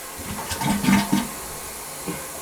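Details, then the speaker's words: Rental-property toilet that the tenant keeps having to plunge, possibly from a dropped object stuck inside. A kinked part is found. Short gurgling flush surges in a few weak bursts and dies quickly: partially blocked trap, weak flow. "All right, see what's happening? I'll show you. We're not getting a lot of flow on this thing."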